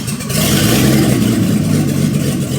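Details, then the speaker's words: 1990 BMW E34 535i, M30B35 inline-six after home rebuild, first start with no exhaust fitted: engine catches and swells into a clean, even rev with no knocks or ticks, settling smoothly; runs perfectly. "Yes, sir. That's it. runs mint mint. Literally runs perfect. Another happy M30."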